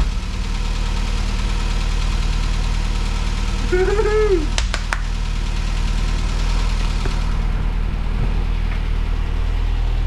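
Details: 1970 Mini Cooper S Mk3 after carb rebuild and timing set: steady, even low idle with a slightly lumpy beat and no knocks or rattles. Engine settled and running well.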